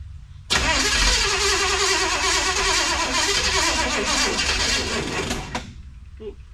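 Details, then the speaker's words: 1963 Chevrolet Impala, start attempt before a test drive; about five seconds of laboured slow cranking that never catches, then it stops; owner suspects the battery might be a little low. "battery might be a little low."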